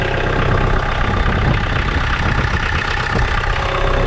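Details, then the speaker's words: 2012 Kioti DK40se HST diesel tractor after glow plug replacement for hard starts and white smoke: dense steady diesel clatter at even idle, no stumbles, misses, hesitation or white smoke; normal idle. "I have absolutely no white smoke there no hesitation whatsoever and so that's a beautiful thing"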